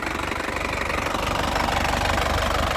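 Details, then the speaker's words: 2018 Isuzu Panther LS Turbo diesel, first owner, about 80,000 km, started in one crank: even steady diesel idle clatter with smooth low throb, no misses or odd knocks; engine and injection pump healthy. "mesinnya dari kelihatan suara kan stasionernya tu enak artinya apa mesinnya itu sehat bpomnya sehat ya dari mesin itu kelihatan kalau mesin sehat itu dari suara sudah kelihatan tidak ada suara aneh-aneh"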